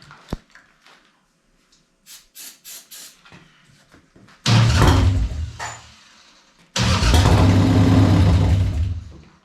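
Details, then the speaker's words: Harley-Davidson 1200 V-twin in a golf cart with suspected carburettor problems, starting fluid sprayed into intake with air cleaner off: weak cranking bursts, then it catches twice with loud uneven low thumping; hard starting. "It sure sounds like it wants to fire, but I'm no Harley expert. I don't know what sounding like it wants to fire really sounds like."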